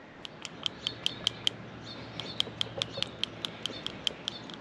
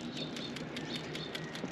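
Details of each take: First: Subaru engine PCV valve, removed and hand-shaken: gives sharp single clunking clicks instead of a light marble-like rattle, showing it is stuck; it plugged back up after about a week despite cleaning, confirming a bad PCV. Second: Healthy new PCV valve on a Subaru engine shaken by hand, light crisp rattle like tiny marbles about five times a second; the old valve had plugged and stuck again within a week and clunked instead.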